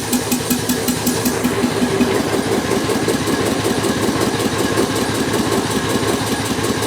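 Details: Bolens M762F lawn tractor small engine after the no-compression repair, running once the fuel shutoff solenoid was powered, with spilled oil burning off: even, quick single-cylinder chug, steady beat, no misses or knocks.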